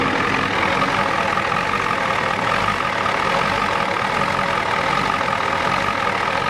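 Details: 1993 Ford F-250 XLT 7.3L IDI diesel, warmed up after sitting about a year, loud clattery uneven idle with faint ticking, visibly shaking; good oil pressure and charging; owner believes injection timing is off; injection pump was replaced before.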